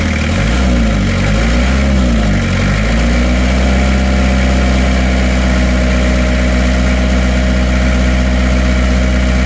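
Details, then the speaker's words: Isuzu Panther 2.3 diesel after repair (previously blow-by with heavy crankcase smoke from under the engine and high oil consumption; engine mounts also replaced): revs settle into a steady, even, smooth low diesel idle with no knocks or misses; normal healthy idle. "cek dulu kemarin saja sudah ngobos sekarang lihat sehat walafiat Ya aman halus suaranya"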